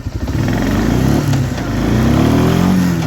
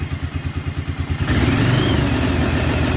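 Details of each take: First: 1996 Arctic Cat Bearcat 454 ATV after bypassing brake switch: strong, clean revving on test drive, climbs and settles smoothly with no misses; runs normally now. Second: 1996 Arctic Cat Bearcat 454 ATV: lumpy thumping run breaks into ragged, uneven roar, cutting out depending on brake pedal position; brake switch circuit is killing ignition.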